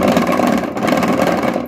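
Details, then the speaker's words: Washing machine running dry without water: dense rapid clattering knock caused by a broken activator (agitator); adding water won't fix it. "так стучит потому что активатор вот этот сломанный негодный не годный"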